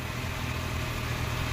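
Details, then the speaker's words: Maruti Omni at idle with no throttle applied; the brake servo vacuum hose is deliberately loosened to leak slightly, and the idle rises noticeably fast and steady; high idle from a vacuum leak, which returns to normal when the hose is refitted. "देखो ये देखो accelerator देखो बिल्कुल भी नहीं दे रखा हमने, दूर में एक्सीलेटर, तो देखो रेस तेज हो गई,"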